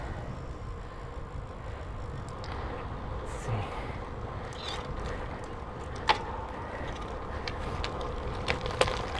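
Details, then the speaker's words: 2018 Specialized Diverge with a Praxis M30 crankset and BB30 386 EVO bottom bracket on a Wahoo Kickr trainer, recorded with close mics: a sharp creak at the right crank's 12 o'clock position above 200 W, from the bottom bracket; fixed by cleaning and regreasing. "the problem i had was a little bit of a crack every time i was at the 12th position of the cranks on the right side and it would only occur over 200 watts"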